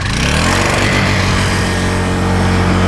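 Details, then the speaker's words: Honda 1000-watt portable generator with built-in flood light, already warmed, started off choke; a fast, steady, even hum with no surging once it settles. Normal running at a fast rpm, economy throttle off. "you notice it's running kind of a fast rpm and that's good"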